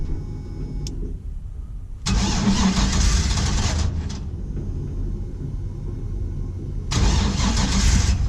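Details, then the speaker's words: 1949 International KB2 with a GM E38 ECU (basic tune), LS7 MAF, 6L90E transmission and very old fuel in the fuel cell: the starter churns in repeated bursts, about four beats a second, without firing. Crank, no start; the owner is checking spark. "something's wrong i'm gonna check spark"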